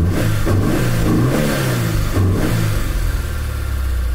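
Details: 2002 Honda S2000 F20C, about 64,581 miles, revved in short blips with a deep, uneven knock and valvetrain noise. Oil pressure drops after about 30 minutes running; the cause was failed main bearings, with bearing flakes throughout the engine.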